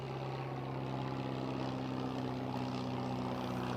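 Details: Peugeot 205 engine idling with a deep droning, hollow aircraft-like roar and steady puffing; exhaust blowing through a rusted hole, an exhaust leak. Spark plugs still due for replacement.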